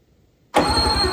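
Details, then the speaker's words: 1995 Sea-Doo Speedster engine suspected locked, cranked with no compression; starter bites with a thin steady high-pitched squeal and slow labored turning. "I don't know if you guys could hear that or not but there was a pretty high-pitched squealing sound coming fr"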